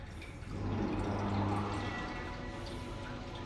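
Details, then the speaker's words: 2010 Mercedes E63 at 81k km, engine stopped, fuel poured into a cylinder: a short gurgling trickle as it drains straight down past the piston; a piston problem, not necessarily the rings. Fluid draining past damaged piston. "You You can hear that's slinging direct down. Something is wrong with the piston here. Not necessarily the piston rings, but definitely there is a problem with the piston."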